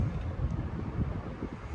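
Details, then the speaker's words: 1983 9-inch Galaxy desk fan on low speed without oscillation: soft, even low whoosh of air with no ticking, rubbing or wobble; normal smooth running. "All right, here it is running on low in non-oscillation mode. Because when I'm over here, I really don't need it to oscillate."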